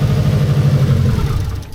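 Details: 1990s Japanese turbo AWD rally-bred car, a barn find stored for more than a decade, at its first start: steady, even low idle with a deep regular beat and no knocks or misses; runs cleanly.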